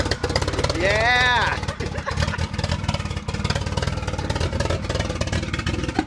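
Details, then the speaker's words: Turbo Miata, newly bought, jump-started from a pack: a brief rising whistle, then uneven, lumpy firing that stumbles, never settles into a steady idle and won't stay running; plugs found soaked and dark, plug change planned; rough running engine. "all right so she runs runs real bad but she does run she doesn't like to stay running no so we're gonna change those plugs and then see if that'll help this thing actually run for good"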